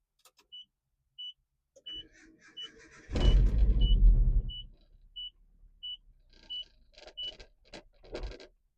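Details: 1987 Nissan D21 Hardbody, nearly 40 years old, in neutral with idle issue: over steady door chime the engine cranks, catches and roars about a second then dies; won't hold idle without throttle.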